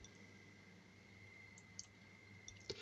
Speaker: perhaps you can also hear it clicking as it uh changes from off to on